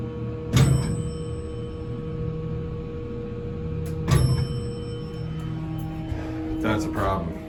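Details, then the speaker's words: ECI elevator door clutch heard while the car descends the hoistway: steady motor hum broken by sharp thumps a few seconds apart at each landing, as the flat-spotted clutch roller strikes the back white hall door roller. "but the noise we're hearing is this hitting the i don't know if you can see those are the rollers right this is hitting the back one this white wheel"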